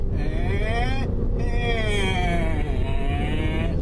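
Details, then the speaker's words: E39 BMW M5 launch done wrong: the revs flare upward as throttle is added while the clutch is still slipping, without an instant pitch change. "that sound coming down is you adding power while the clutch is still slipping"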